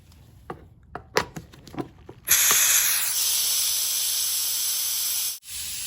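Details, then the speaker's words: 2005 Lincoln Town Car, Ford 4R70W transmission fluid change: an air-driven venturi fluid evacuator pulls fluid through a tube down the dipstick tube. A steady high air hiss shifts and hardens in tone as the chamber nears full evacuation. "so i just heard the tone change on that venturi it sounds like it's working a lot harder than it was so that gives me a clue that the chamber is about evacuated"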